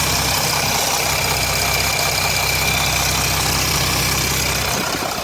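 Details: 2007 Jeep Grand Cherokee 3.0 CRD diesel at idle, oil pressure light on at idle but off when revved: a steady, busy rattle about four times a second; owner suspects timing chain, though it is not localised at the front.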